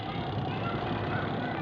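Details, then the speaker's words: Washing machine after pulsator repair, spin test: spin drum gives low, even whirr with no knocking or grinding, motor settled and steady; normal spin operation. "देखिए first class का spin drum भी चल रहा है।"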